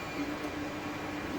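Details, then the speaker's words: 3D printer printing PLA with a 200 °C nozzle and 60 °C bed, laying 0.2 mm layers: soft stepper hum coming and going at a steady mid pitch as the head moves in a quiet room; normal printing. "and that's just the machine. It runs its G-code now. The head just follows that, laying down tiny 0.2 millimeter layers of the material"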